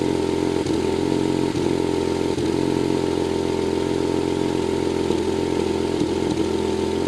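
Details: BMW 135i idling with a misfire that does not set a DTC: uneven beat, stumbling every second or so as cylinders miss.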